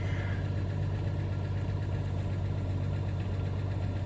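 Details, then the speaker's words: 1992 Jeep Cherokee 4.0 L, 5-speed manual, 185,000 miles, treated with Lucas oil additive after sitting long; warm idle at about 1000 rpm, oil pressure high. Deep, steady low hum with no misses, knocks or ticks; idling cleanly. "185,000 miles on this thing guys it is idling with a good 1000 rpm"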